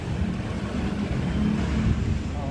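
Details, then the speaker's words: Yamaha All New NMAX 155 VVA after replacing outer crankshaft bearing for rough engine noise: low, even rumble with no knocks or rattles; normal idle, problem cleared. "Ini orang sudah B naik ya itu motor sudah nyala suara sudah halus oke masalah sudah clear hanya dengan melakukan pergantian bearing csap yang sebelah luar ya"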